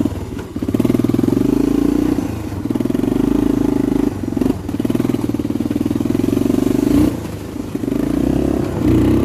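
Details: 1985 Honda FourTrax TRX250 single-cylinder, high compression, kick-started: quick even firing beat pulling up cleanly on throttle blips; healthy and responsive, though it tends to idle down and stall if left idling.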